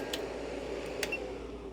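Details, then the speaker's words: UNI-T UDP6953B 600W programmable power supply cooling fan, heard after a few minutes at full load with the electronic loads switched off: a soft, even whoosh with faint ticks and no whine or rattle. The fan is relatively quiet and healthy. "And you can hear the fan noise is actually not that bad on this UDP 6953B. It's actually relatively quiet."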